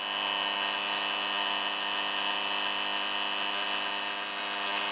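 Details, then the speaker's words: Osaki TY 11 time switch motor after freeing a seized gear train, now running: loud constant high-pitched steady buzz, unusually noisy motor, cause unknown, not seized. "is bloody noisy that is noisy one noisy motor i don't know why it's that noise either"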